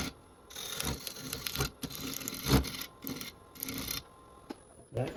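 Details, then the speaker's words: Walnut bowl blank being turned, wetter inside than advertised; rough, rasping bursts come and go with each pass as the scraper catches on a crack running through the spinning blank — scraper chatter over wood crack. "That noise is this crack when you're using a scraper."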